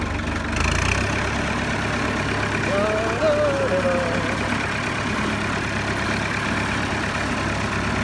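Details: 1964 Massey Ferguson 65 diesel tractor, just rolled off the trailer: catches after a brief crank and settles into a steady, even diesel chug without misses or knocks; normal idle.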